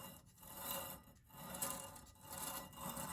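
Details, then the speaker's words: 2012 Citroen C3 Picasso rear brake, during pad replacement: dry rasping scrape about once a second as disc is turned by hand; stainless pad guide clip not seated correctly, fouling the disc; quiet once pushed into place. "can hear him fouling the disc. So we don't want that. That'll make a noise, and it's in the wrong place for when you take the car for a test drive."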